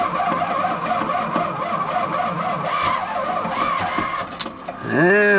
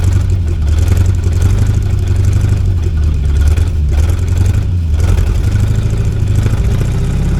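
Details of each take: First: 1972 Chevy C50 big-block rollback with a Schwartz bed, first start after sitting several years with bad gas and a bad battery. Fuel pump switched on, choke used. Long steady cranking before it catches and revs up. It then shows oil pressure and the battery charges. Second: 1972 Chevy C50 big block rollback, first start after sitting several years, on choke with the fuel pump primed: catches, revs a few times, then settles into a deep, even idle with no knocks; oil pressure good, battery charging.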